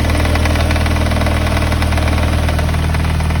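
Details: Mazda MX-5 NB at steady idle: light, fairly regular knock about three to four times a second over the engine hum; owner suspects a spun big-end bearing or bad timing belt tensioner, unconfirmed.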